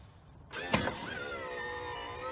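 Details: Kwikee RV motorized entry step (A-type gearbox), heard from underneath as door closes: steady electric whine with slight pitch rise, no grinding or catching as step retracts; normal operation.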